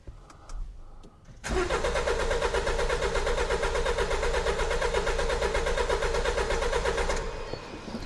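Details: 2016 Jaguar XE Ingenium diesel crank no-start: steady, even starter cranking at about three compressions a second that never catches; fuel pressure good and injectors firing, traced to a mechanical cam-to-crank timing fault.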